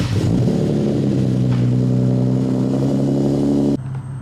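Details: Nissan 370z, first start after replacing the spark plugs and refitting the coil packs: engine catches and settles into a steady, even low hum with constant pitch, then drops off sharply near the end.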